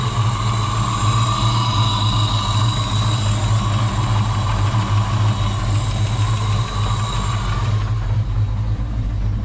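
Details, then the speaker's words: Wrecked SN95 Mustang V8 (GT40P heads), first start: deep steady idle rumble with fast, light, bad tapping from the top end/valvetrain. "I don't believe it. It's got some really bad tap in the top. I don't know if you guys can hear that or not, but it's tapping really bad."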